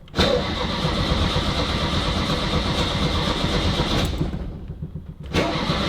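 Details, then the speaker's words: 1971 VW Beetle Karmann Ghia convertible after a carburettor clean, with a vacuum line blocked off and automatic choke connected: the engine runs with an uneven, lumpy beat that dips and briefly stumbles. Still rough and not right; cause not yet found. "put the air filter on, we'll try that round the block. Right. Not better, it's not right."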